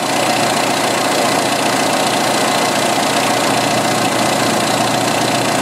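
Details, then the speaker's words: 1986 Jeep XJ 2.5L at idle after one of two vacuum leaks fixed (crankcase ventilation misconfigured after valve cover swap, engine had run very lean): idling much smoother, steady and even, coolant about 203; fuel trims still high. "one thing I could tell right now is the engines idling a lot smoother a lot"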